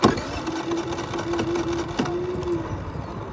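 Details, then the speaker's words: Brand-new Generac iQ3500 generator, about two hours old, giving zero volts; started with no load and economy off, oil and fuel full: strained starter drone for a few seconds with sharp clicks, engine never catches; weak cranking, hard starting. "it's doing its best well it started up just straight away before I didn't have any trouble starting until now you can hear it trying"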